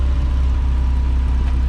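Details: 1979 Ford F100, 300 straight six with Holley 390 four-barrel carb, Offenhauser dual-port intake, Hedman header and dual exhaust, running after being parked since 1992, driven about 50 miles. Deep, even idle with steady firing pulse and no misses; idle still needs slight adjustment, sounds like bees under throttle.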